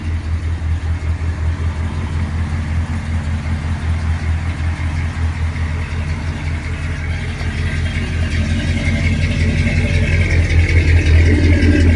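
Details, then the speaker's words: 1978 Ford F150 with a 351 V8 and automatic transmission, cold (gauge completely cold), tuned and starting easily: deep, throaty, even V8 idle with steady pulses and no knocks or misses. A healthy cold idle. "And this truck always starts so easy. Also, you don't got to sit there and crank it and crank it. It's It's tuned."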